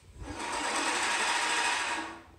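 Even whirring hiss swells and fades as the reel spins freely; light reel-to-bed-knife contact, normal for a correctly set reel.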